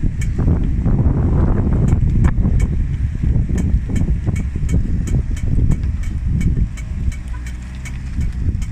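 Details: 2003 Ford F-250 engine idling: sharp, slightly uneven ticks about two or three a second over a low rumble; ticking, source not pinned down.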